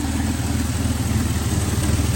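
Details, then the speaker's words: 1967 GMC C1500 half-ton long bed pickup, factory big-block 305 V6, running after sitting 20 years: steady, even low burble through a glass-pack exhaust, regular pulse, no knocks or misses; normal idle, though transmission may be low on ATF. "yeah sounds good it's actually got decent exhaust on it"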